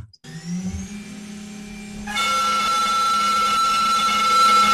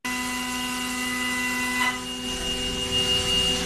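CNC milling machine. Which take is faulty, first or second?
first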